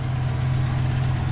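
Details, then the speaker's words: Deep, steady, even idle with no misses or knocks on a 2007 Chevrolet Silverado V8 after fixing a no-crank no-start traced to a faulty junkyard fuse panel. Runs healthy. "but it's now officially a running, driving truck."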